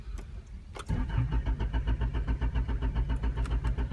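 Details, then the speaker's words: Honda that died again after a starter vacuum hose rip was thought fixed: steady cranking at roughly 220 beats per minute, firing briefly but never settling into a run. A ripped hose was found again. "Dam this car is [ __ ] up sounds like it's turning on what was that it's when you overcrank it"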